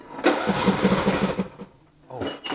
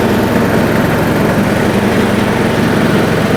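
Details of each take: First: John Deere D110 mower after blade belt replacement, spark plug lead left unplugged: steady cranking chugs, about six or seven a second, no firing, second try also fails; won't start until the plug lead is connected. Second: John Deere D110 mower with its new blade belt, blade brakes left off, blades engaged: steady, even engine drone under load with a brief chirp mid-run. Holds speed fine.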